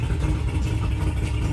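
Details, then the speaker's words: Mercury two-stroke oil-injected outboard on water muffs after replacing the oil reservoir cap and topping up two-cycle oil: idles with a steady low rumble after a slight rev, the oil warning alarm has stopped beeping. "Oh, I missed it, but it stopped beeping. I had to rev it up a little bit, but it was good, so."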